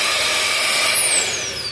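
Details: 2008 Chevrolet Cobalt 2.2L with check-engine light, new secondary air injection pump motor bench-tested before fitting: strong steady high whine while powered, pitch sliding smoothly down at switch-off; runs strong and clean.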